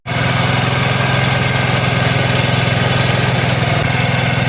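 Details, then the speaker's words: CD 70-type motorcycle after fixing a "cut cut" noise, blamed on an ordinary chain set, by fitting a chain lock: a steady single-cylinder putter at idle and in first and second gear, with no ticking from the chain side. Normal running. "जो पहले cut cut की आवाज कर रहा था वो मसला अब सॉल्व हो चुका है।"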